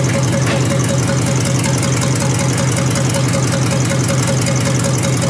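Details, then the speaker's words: 1953 Hemi engine restarted after dirty oil was drained and clean oil added, checking oil pressure: even low idle with a regular tick about once a second from the mechanical fuel pump; oil pressure confirmed, normal idle. "Pounds that idle. It'll be alright. It'll be alright. Yeah. Really good, I think. Don't get no better than that, does it?"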